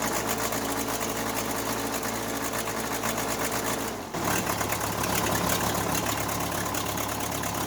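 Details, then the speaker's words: Case 580C backhoe diesel, first start after valve adjustment, injector replacement and fuel stop cable fix; steady even idle clatter with brief dip near four seconds before settling. Healthy normal diesel idle. "so I'll start the engine up and let it run and let you guys listen to it, and then roll my credits at the end so you guys can subscribe and watch another video, or, you know, close it out."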